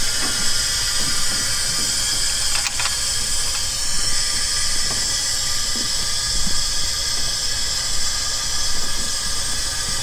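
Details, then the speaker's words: Engine leak-down test after sitting, barely run, engine off: steady airy hiss escaping into the oil pan/crankcase; cylinder walls/rings look worn, or rings possibly not yet expanded from sitting. "so it looks like the cylinder walls slash rings are a little wore out"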